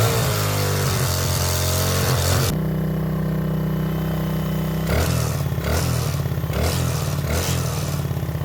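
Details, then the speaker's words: Suzuki SP125 enduro single, carburetor just refitted after it kept refusing to stay running: blipping with a clattery, lumpy idle between revs; rough running and very smoky, owner suspects carburetor needs tuning and too much oil. "Okay. So, she runs all right. I think it'll run better if I do a little tuning with the carburetor."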